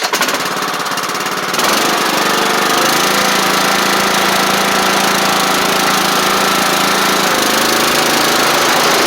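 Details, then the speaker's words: Troy Bilt Bronco mower with Kohler Courage single-cylinder engine, after starter solenoid replacement, carburetor cleaning, engine tightening and new oil drain plug: starts after a couple of seconds, then runs steady and even with no knocks or misses. Normal running. "I'll Crank It Up and just give youall a little bit of a test just to show you everything works good y'all just y'all saw me cut the grass with it so it should start right up"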